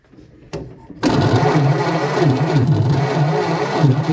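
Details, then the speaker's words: 1928 Ford Model A engine after sitting a very long time: steady starter churn about three compressions a second, no firing, after cleaning corroded points; still no spark, so another problem remains. "here it wasn't sparking so I guess we have another problem"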